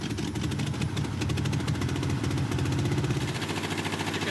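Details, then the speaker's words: Jeep J truck on a temporary fuel system with carb primed, first start on fresh fuel: lumpy, loping idle with firing pulses dropping out irregularly. Misfire or dead cylinder, to be traced with a water-spray test. "can hear a cylinder firing every now and then. So this thing's running, it's misfiring or it's got a dead cylinder or something."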